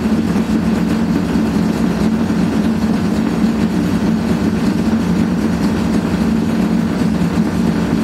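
Loud, constant, rough roar with a steady droning tone throughout the spin; classic sign of badly worn drum bearings.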